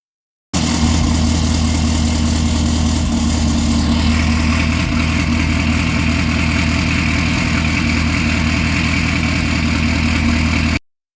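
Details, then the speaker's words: 2018 Camaro ZL1 V8 with NPP valved exhaust, valves closed in touring/stealth mode, before fitting the Corsa anti-rattle spring service kit. Deep idle with a fast, loose metallic exhaust valve rattle. "uh it started to Rattle really bad um so it was pretty bad and I'm put a clip here real quick to kind of let you hear what it sounded like with valves"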